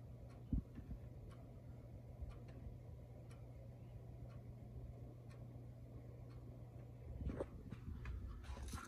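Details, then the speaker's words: Vevor 5 kW diesel parking heater on two 18V 4Ah Ryobi batteries: soft regular tick about once a second over low fan hum; fuel pump pulsing during normal ignition. "oh the steam just stopped so that shouldn't me mean it's lit I can't even really hear it from here"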